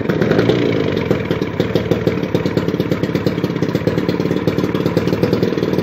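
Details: 1981 Evinrude 35 HP two-cylinder outboard, gearcase off, weak starter, number two spark plug pulled to start it: uneven rattly popping beat; running on one cylinder; compression 150 psi both cylinders, starter to be rebuilt or swapped.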